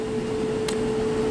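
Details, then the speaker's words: Clothes dryer after repair of clicking, ticking and clunking noise, reassembled and plugged back in: steady even hum with one brief soft tick, no clicking or clunking; no more crazy noises, running healthy. "And we're good to go. No more crazy noises."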